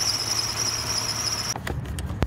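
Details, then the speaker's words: 2014 Lexus ES350 engine running: steady piercing high-pitched squeal from the worn tensioner pulley bearing, getting worse as RPM rises; fix is replacing the pulley bearings since the pulley isn't sold separately. "you can hear kids a lot worse than the RPMs go up but this is squeal that's coming from the tensioner pulley"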